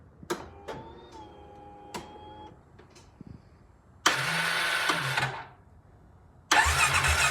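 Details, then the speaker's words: 2015 Polaris Ace 570 after complete rebuild with fresh cylinder, piston and connecting rod, Woodruff key fixed: a couple of cranks, then catches and runs loud and crisp without air filter, no knock; normal first start. "there we go it's alive there's no air filter on it so it's a little loud"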